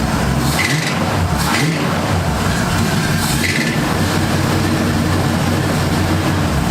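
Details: 1978 Ford Fairmont Futura inline six after GT40P head swap, Holley two-barrel carburetor, just started: even, steady idle with a level low drone and a few brief background clatters, no misfire or knock; vacuum in the green, electric choke may need adjusting.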